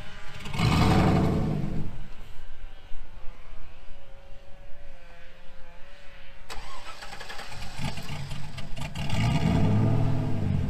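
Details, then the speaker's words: 2000 GMC Sierra 5.3 V8 after Texas Speed Stage 3 cam swap (.550/.550, 216/220, 112 LSA) on factory tune: hard-rev start, sags and dies, recranks, stays running only when revved; can't go in gear. Owner's own tune fixes it. "Okay, so with the factory tune, I can't put it in gear at all without having to mash the gas to keep it revved up enough to stay running."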